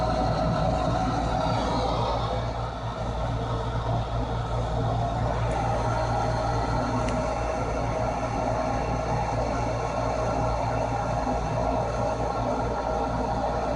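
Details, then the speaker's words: Furnace draft inducer motor after replacing the old one, which squealed and wouldn't start despite a new capacitor: steady even hum, constant low drone, no rattles or scraping; new motor running smoothly. "let's click on the switch and see if it [Music] works yeah much better"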